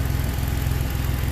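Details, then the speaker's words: 2011 Ford Explorer first start after new powertrain installation, no dash warning lights; steady, even idle with smooth low rumble and regular firing pulses, no knocks or misses; normal idle. "Purring like a kitten. Listen to that. No lights on the dash? Wow, no lights on the dash. We got it running."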